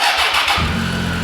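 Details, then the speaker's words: Triumph Tiger 800XC, 21,569 miles, hot restart after a long warm-up run: brief half-second crank, catches at once and settles to an even idle with great throttle response, after a new OEM starter fixed starting issues. "Fires right back up. Great throttle response. Everything."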